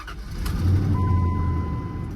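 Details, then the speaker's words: 2004 Ram 1500 with 4.7 L Magnum V8 (about 235 hp): starts with no hesitation and settles into a deep even rumble while a dash chime sounds; owner notes typical Dodge lifter tick but runs well. "No hesitation whatsoever. Let's pop the hood and give this little sucker a whirl. Here's the 47 Magnum. She is running beautifully."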